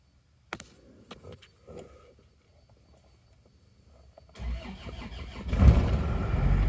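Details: Automatic Isuzu Panther diesel that blows heavy smoke: several seconds of weak, uneven cranking before it catches, with thick exhaust; badly damaged cylinder liners found, and oil possibly entering the manifold and burning.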